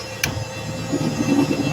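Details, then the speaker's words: 30-ton gantry crane drive motor, inverter-fed with brake contactor K7 operating in both directions; a sharp click then a steady low hum with a rough buzzing edge from the motor as it drives, abnormal motor noise, cause not yet confirmed. "For teaching's sake, I want to operate it so that you can listen to hear that noise that is coming out from the motor. Do you hear that noise? Did you hear that noise? Yes, that's where the problem is coming from."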